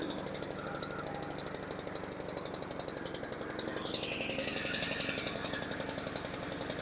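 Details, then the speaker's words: Choke stuck on in a 2016 Honda HRR216K9VKAA mower: engine runs fast with a rough, uneven, rich labouring putter and won't come off choke, the control sitting all the way forward with its linkage jammed; owner suspects transport damage to the governor. "Okay, it started, but you can hear it's still on choke. So with this all the way forward, it's not letting it come off a choke."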